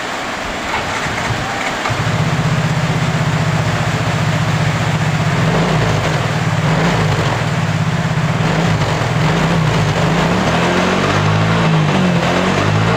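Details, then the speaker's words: Yamaha Mio J scooter starting with cracked injector socket pressed together: catches after a second or two, settles to steady even putter, no misses; engine runs, so fault lies in clogged injector and socket; normal idle. "untuk mesin motornya sudah hidup ya berarti yang rusak di sini adalah di bagian injektor ya teman-teman"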